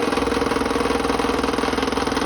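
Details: Salvaged, restored 30-year-old Delta P-20 scroll saw running with new blade, unmounted on cardboard: steady even buzz with quick regular blade-stroke chatter, no knocks or grinding; runs smoothly, some table vibration.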